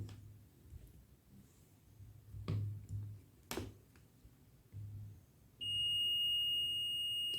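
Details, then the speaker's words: Samsung washing machine PCB, dead board: multimeter continuity check across the NTC, probe taps then a steady high tone for about two seconds; continuity on one NTC leg, none on the other, NTC found open. "TC ന്റെ ഒരു കാലിൽ continuity കിട്ടി അടുത്ത കാലിൽ continuity ഇല്ല"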